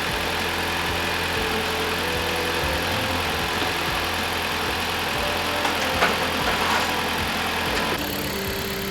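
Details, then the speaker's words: 2018 Dodge Journey 2.4L petrol engine idling after alternator replacement, mic placed close to the engine; charging reads 14.6–14.7 V; steady, even idle with faint hiss, no knocks or squeals, sounds way better; normal idle. "Everything's going pretty good. Yes. Sounds way better."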